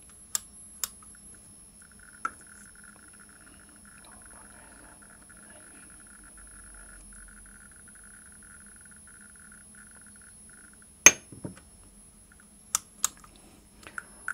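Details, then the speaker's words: 1959 Sputnik-1 radiometer after repair (resistor No. 30 510 kOhm, 5600 pF and 0.02 µF capacitors fitted). Crisp, randomly spaced counting clicks with readings close to true; counter working normally. "Let's check it. Well, the sound is fine now! The readings are also similar to the truth."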